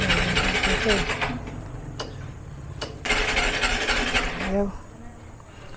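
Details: Motorcycle with a hard-starting problem; owner suspects a dirty carburetor again (alarm system also faulty). Long cranking bursts with uneven firing and pauses between attempts, engine failing to catch cleanly: hard starting, cause unconfirmed.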